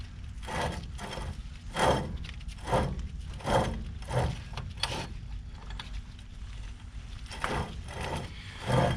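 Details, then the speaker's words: 1962 GMC 1-ton truck, 305 V6, front hub missing and replaced by a boat trailer hub; hand-spinning it gives a gritty crunch that swells and fades, and the rear bearing, sized up to fit the ball-bearing spindle, doesn't fit correctly. "Gonna stick it on here, squeeze it down, put a spare on it. Oh, it sounds good and crunchy."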